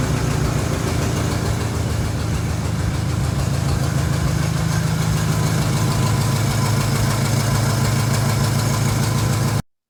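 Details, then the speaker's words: Mid-1940s Ford F5 one-ton dump truck, flathead 8BA V8, first start in years after freeing stuck pistons: low, even V8 burble at steady idle, no knocks or misses. Carburetor needs rebuilding, accelerator pump dead, primed by hand. "so now that we got the truck to run on its own the carburetor needs to be rebuilt so it's gonna go off to get rebuilt the accelerator pump in is dead so we have to prime the carburetor by hand with a little bit of fuel down its throat"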